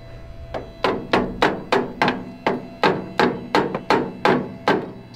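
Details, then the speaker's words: Drag-rail kart with a modified Harbor Freight 670cc V-twin (about 55 hp), reassembled after sitting for years, engine off: an electric fuel pump clicks quickly and unevenly, about three times a second; working, though fuel loss was seen afterwards. "there you go i can hear it working i need a little extra help"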